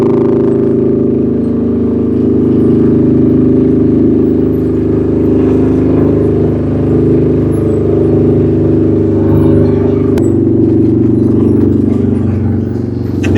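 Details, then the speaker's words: Fire-damaged CF Moto Z Force 800 pulling away after revival: loud raspy booming exhaust drone far louder than stock; muffler likely needed, cause suspected, not confirmed. "I'm probably gonna have to put a muffler on this thing. It's pretty loud."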